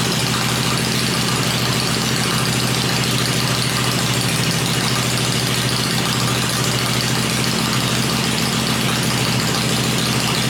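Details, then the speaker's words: Freshly built 96-inch V-twin with Edelbrock heads on an engine run stand, cycled through revs before going in the bike; stand shakes at lower revs; even lumpy low-speed thump, no knocks or rattles; normal idle. "Let's uh cycle through a few times it's hard on the machine here everything starts shaking when you get it down to below which is a pretty meaty motor"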